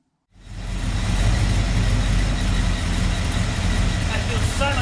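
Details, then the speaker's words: Ford XW GT Falcon, 351 Windsor V8 with Holley carb, after adjusting accelerator linkage to open throttle fully: catches and climbs cleanly into a strong, even rumble with no stumble, steady as it settles; normal throttle response. "so now let's just wait for all the juice to evaporate from the carbi and then i'll fire it up and see how it"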